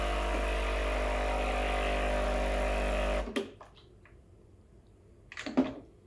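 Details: Breville Barista Express BES870 pump; steady even hum about three seconds, cuts off cleanly, then light clatter. Pump runs normally.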